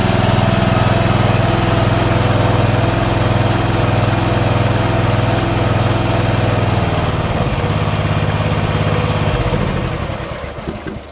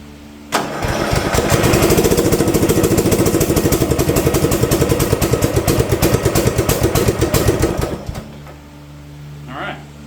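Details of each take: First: Old Simplicity mower with a 17 hp Briggs & Stratton overhead-valve engine, sat for years, after repair and valve-cover reseal: steady even chug with no misses, then winds down smoothly; healthy running. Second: Old Simplicity front-deck rear-steer riding mower, 17 hp Briggs & Stratton, sat for years, low oil, weak battery on charger: slow uneven cranking, about three turns a second for seven seconds, no firing. Cranks but won't start; likely carb cleaning and fuel filter, unconfirmed.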